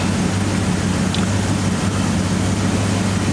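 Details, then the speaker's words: 2009 Maserati Quattroporte V8 after all eight coil packs and spark plugs were replaced for a mystery misfire: idle now a steady, even low rumble with no stumbles. "that sounds smoother"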